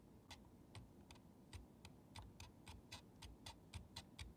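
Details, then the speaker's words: Brymen BM786 multimeter back from warranty repair, rotary range switch with larger play than a good unit: sharp dry uneven clicks about three a second; abnormal switch noise, cause unconfirmed, not contact contamination. "yeah yeah no no there's something wrong i do not get the same there's no noise there's no noise when i do that and there's very little play in that switch this one yeah it's got this noise and there's lit and there's larger play in the switch"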